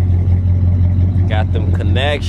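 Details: Chevy Caprice box with a 305 5.0L V8 and dual exhaust, idling after new spark plugs and wires fixed a sluggish pedal: deep, steady, even rumble with no misses or knocks, running smooth.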